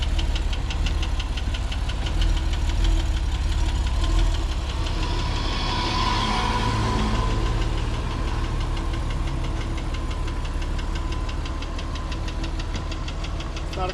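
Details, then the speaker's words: Copart auction car just started off the car carrier: fast uneven metallic clatter over the idle like a sewing machine or weed whacker, rattling noises; engine knocking, badly damaged. "he started it up and it sounded like a weed whacker sounded like a sewing machine it's making some rattling noises that's not a good job"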